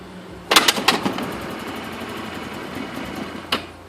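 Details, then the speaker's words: Zhejiang Wildfire R8 scooter, electrics working and electric starter making an abnormal noise: a few sharp kick-start rattles and a clunk even after priming, then quiet with no firing at all. It cranks but won't start; cause unknown. "nothing let's try that again maybe even prime the engine a little bit here we go nothing just does not want to go"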